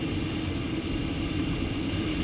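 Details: 8kW all-in-one Chinese diesel air heater in a van: steady roaring burn with constant low blower hum, no sputter or pulsing, running hard and healthy at full output.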